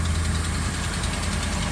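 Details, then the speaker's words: 2011 Ram 1500 Sport 5.7 L Hemi V8 idling with a faint quick tick over a deep rumble, louder with revs, mainly from the passenger side with exhaust smell; exhaust manifold leak from a sheared manifold stud. "any rev it it makes the tickin I can sometimes smell exhaust I'm almost 100% positive that's what it is"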